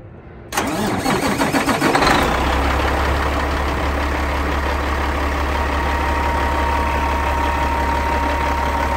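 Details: Cat 3406E diesel in a 1999 Western Star 4964SX truck: cranks about 1.5 seconds, then catches and settles into a steady, even idle with a low drone. Normal cold start.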